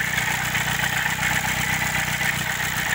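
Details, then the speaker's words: Chevrolet Celta at idle with a recently started noise: a continuous high metallic scraping hiss over the engine that does not pulse with firing; owner thinks it is the rusty, worn water pump grinding metal on metal. "eu acho que ela simplesmente a bomba d'água galera olha o estado da bomba d'água do certinho é por isso tava fazendo aquele barulho de rangido né metal com metal né"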